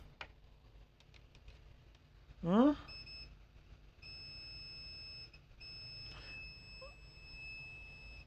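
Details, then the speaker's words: Acer Aspire 3 315-32 laptop motherboard: a steady high continuity beep holds for several seconds. The rail is still shorted to ground even after removing a capacitor. "and that's bed huh we still have short why let's check the capacitor that you took out"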